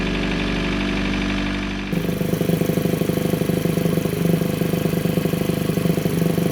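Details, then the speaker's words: Chevrolet Cruze with open intake at idle: rapid buzzy pulsing drone about three times a second; noise from under the valve cover resonating through the PCV system into the intake. "what's basically happening is the pvc system is making a sort of resonating noise or something's making noise under the valve cover that's going through the pvc system into the intake"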